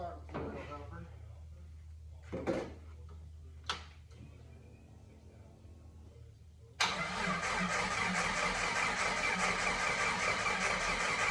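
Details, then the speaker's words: 1988 Jeep Comanche MJ 4x4 that sat for years, first start attempt after cleaning the fuel tank, a new fuel pump and new fuel lines; battery partly drained; steady, even starter churn that never catches: cranks but does not fire. "Okay, first attempt. Uh, she did not fire up."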